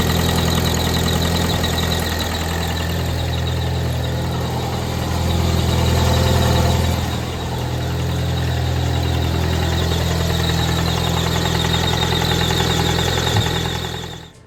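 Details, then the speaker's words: Ford Mustang EcoBoost idling with a heavy, regular knock about three and a half per second after a tuning session where AFRs looked fine; owner says it "ecoboomed", questions too much boost; serious internal damage suspected, not confirmed. "Well, I don't know if you can hear it in the video all that great, but you can hear her going the old knockety knock, big knock knocks. So yeah, she ecoboomed."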